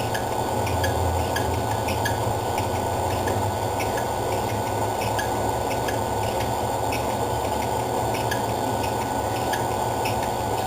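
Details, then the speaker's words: ABS spiral mixer running on its timer, set just over a minute: an even motor hum with a light, regular tick from the turning belts and no grinding or squeal. It runs smoothly; normal running. "running down it's almost there you see the belts all moving along doing what they're supposed to do"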